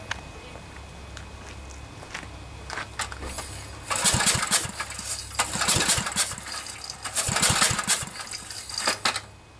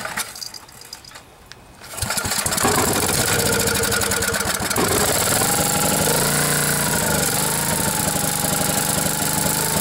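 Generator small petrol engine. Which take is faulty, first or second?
first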